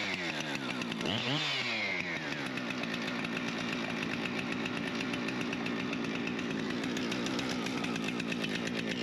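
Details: Husqvarna 455 Rancher chainsaw after a bar-oil leak repair and a new primer bulb: it catches on a quick pull and settles into a steady, even buzz with no stumbling; running healthy.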